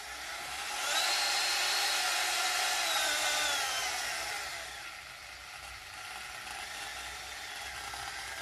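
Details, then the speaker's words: Proxxon rotary tool found in trash, test run after new cable soldered in: harsh, rough high-speed whine with gritty grinding from worn-out motor bearings, before bearing replacement. "And I don't know if you can hear it, but the bearings are definitely toast. They're really making the engine go crazy."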